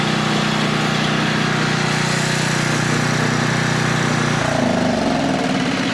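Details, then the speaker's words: Older Tecumseh 4,000 W generator, governor lowered to 60.8 Hz, under a 1,500 W load: steady, even drone holding pitch as the load comes on, with only a slight settle and no struggle; normal governed running under load. "But if I could put a pretty significant load on it, I mean it's almost half and it doesn't even bother to fall or struggle one bit, then I'm feeling pretty confident in that."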